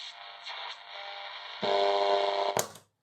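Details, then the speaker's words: 1960s Grundig 2147 tube radio, unrestored first listen: harsh, buzzy, gritty distortion under the broadcast, rougher when louder, then cut off; owner suspects leaky capacitors to the output stage, not confirmed. "secondly this distortion sort of sounds like leakage in the capacitors to the output stage"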